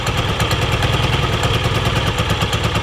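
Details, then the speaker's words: 2006 Yamaha Vino Classic XC50 scooter, $200 purchase, kickstarted (no battery) with old gas in it; small single thumps unevenly and sputters at idle; owners suspect deposits and plan to adjust the carb; cause unconfirmed. "there is old gas in this but it does run and it's really not that bad it definitely sounds like it's getting additional deposit"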